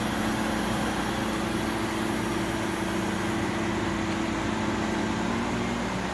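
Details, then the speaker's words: GE Profile air conditioner, curb find, on cool: steady low compressor drone with constant tone under fan rush; compressor just turned on after a few minutes' apparent restart delay, cooling normally, down to 70 then 69. "Oh, look. There it goes. Compressor just turned on. Maybe it takes a few minutes for in case you restart it or something."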